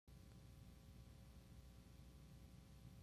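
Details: Tube guitar amp with nothing plugged in gives a steady low rushing wind-like hiss over a faint hum; traced to a noisy phase splitter 12AX7 tube.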